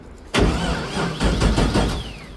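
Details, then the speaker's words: Abandoned LS1 speedway car, first start attempt: two seconds of brisk, even cranking that never fires; no fuel delivery and no fuel-pump prime, light on so the fuse is not blown, and a missing earth is suspected. "Uh-oh. You turn it on? Yeah. Oh, we got a problem. I even drove it here, dude. We got no fuel."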